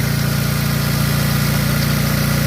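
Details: Mitsubishi Lancer Ralliart 2000 no-start repair, after replacing the 20 A fuse feeding the spark and injector circuit: even rapid idle pulse about twenty beats a second, steady low drone, no misses or knocks; idle sounds normal.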